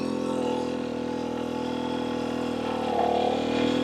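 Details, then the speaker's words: Rieju MR300 Ranger two-stroke after jetting adjustments, light steady throttle: smooth, even drone holding one clean note on low power without burbling or stutter, rising slightly; jetting sounds right, normal low-throttle running. "That's exactly what you want your bike to sound like. Smooth, controlled, one note on that low power."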